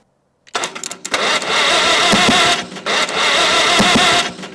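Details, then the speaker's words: 1945 Farmall H tractor, long sitting, first start attempt with fuel leaking from the bowl and a holed exhaust: cranking bursts into a loud ragged roar with sharp pops twice; big backfire. "whoa big backfire but we got something okay"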